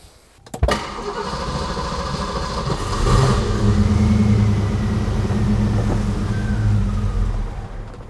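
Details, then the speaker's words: Mostly stock 1990 Ford Mustang GT fox body with recently replaced spark plugs: the starter grinds for a couple of seconds before it fires, runs unevenly a few seconds, then dies; a long crank and stall. "so as you saw it took a little bit to crank it there's some times when we started it and it cranks and cranks and cranks and cranks to start and then it finally does start as you saw it started up and then it died"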